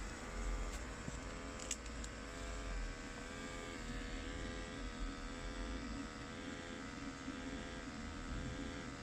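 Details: Ariston micro combi boiler after fixing with no parts needed: quiet, even fan hum with steady low whir and no rattles or surging; running normally.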